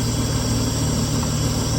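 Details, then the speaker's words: Mitsubishi V6 with a distributor, on a borrowed battery: a steady, even low idle with a smooth hum and no knocks, misses or ticks. Idle is pretty good and healthy. "All right, that's her idling, which is pretty good."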